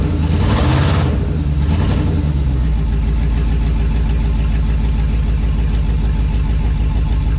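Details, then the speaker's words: 2002 2500HD, long-sitting parts truck; engine revs freely then drones steadily but truck won't move, transmission not taking drive; owner suspects low transmission fluid, later found low on ATF. "Doesn't want to move, but it's been sitting for a super long time. Maybe it's just low on transmission fluid."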